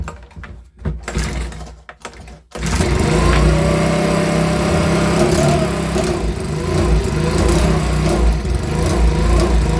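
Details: Makita BHX2500 24.5cc 4-stroke leaf blower, brought in as a non-runner, quickly diagnosed and cover refitted; warm, started without choke: a few seconds of handling, then it fires and settles into a steady, even buzz without stumbling, running properly.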